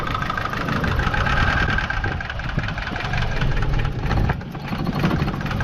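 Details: BMW E30 with M10 four-cylinder petrol engine idling, running like a diesel: fast, steady valvetrain ticking over the low hum, heard while checking whether a Mobil 1 oil change cures it, though it's not expected to.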